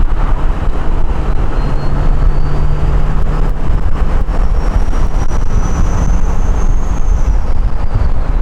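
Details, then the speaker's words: Ford 6.0 Powerstroke diesel with newly installed compound turbo kit, road test: deep rumble, soft whistle climbing, holding, easing off; spools up like stock, smooth without strain; normal spool. "So you can hear the turbo [Music] I mean, it definitely has like the same like it spools up like stock."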